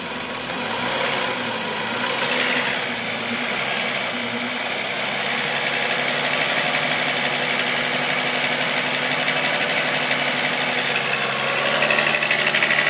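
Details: VW Golf VR6 2.9, 103,000 km, steady idle: thin metallic rattle about three times a second. Chain-rub noise grew louder after the upper hydraulic tensioner screw was changed; timing chain rubbing suspected, unconfirmed.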